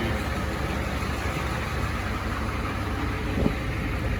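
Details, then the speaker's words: Ford 7.3 IDI diesel with ATS turbo in a 1986 F350 crew cab dually, alternator belt slightly loose, a little blow-by: steady, even idle with a low rumble, no knocks or misses; normal diesel idle. "Yeah, she's a freaking runner. Man, that thing runs smooth. That thing ain't even wobbling or nothing."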